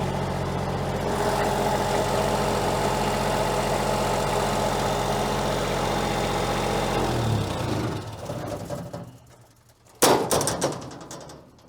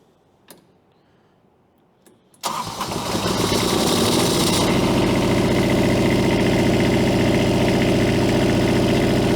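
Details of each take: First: Diesel-powered unit at an equipment auction, described as very quiet and running super nice; only two of its four lights work. Steady, even diesel idle with a smooth beat and no knocks or misses before shutdown: normal idle. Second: Three-cylinder diesel pulled from 13° cold, checked with thermal camera on exhaust manifold: cranks and catches into a lumpy, uneven idle with cylinder number three not firing; owner suspects water frozen in fuel system.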